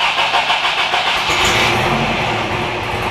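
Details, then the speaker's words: Toyota pickup with an uncharged, weak battery, fuel nearly out, weak-sounding fuel pump: sluggish, uneven cranking for about a second before the engine catches and runs; weak battery barely turning it over. "I completely forgot to charge the battery. The other day I started it started very weak. I'm hoping it starts."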